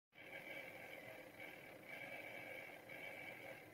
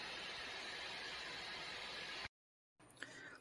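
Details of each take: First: Dell Precision 7530 laptop cooling fans: a quiet high fan whine with a faint buzzing rattle pulsing about once a second. The fans had started rattling loudly and sounded close to locking up. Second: Dell Precision 7530 laptop after repair, fans spooled up under background load: smooth, even airy hiss with no rattle or ticking, steady speed; previously rattling fans fixed by lubrication, not replacement.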